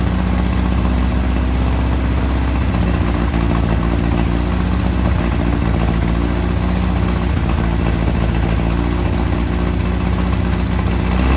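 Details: 1961 VW Beetle flat-four barn find, first start after sitting in a Texas barn, on a 6-volt battery: a steady, even low drone picks up smoothly with throttle, with no misses or sputter. The engine runs normally.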